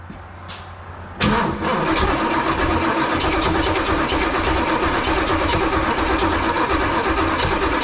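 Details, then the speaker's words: 1986 Pontiac Firebird Trans Am with fuel starvation issues, repeated start attempts; starter drags engine slowly and unevenly with no catch, engine flooded and battery going dead; timing possibly a tooth off suspected; slow cranking, flooded engine. "all right here we go again take 35 now that it's flooded and the battery's going dead"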